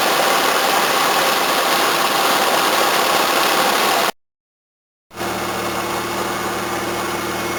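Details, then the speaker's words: 1981 Toyota Corona RT132R with 18R-C four-cylinder after tappet adjustment only, set with a large gap, no tune-up: smooth, steady, even idle with no stumbles, running faster, water pump audible, bonnet no longer shaking. Normal idle. "Running so much better, a lot faster too. Still all I can hear is water pump."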